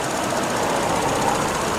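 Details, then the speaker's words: Car, warm, after 11 days sitting and odd cranking: fast, even patter at about 700-something rpm, no misses or heavy knocks, smooth healthy idle; normal idle. "It's running, it's doing its thing, everything's good. She's idling normal, turning, I don't know, about 700 and something RPM."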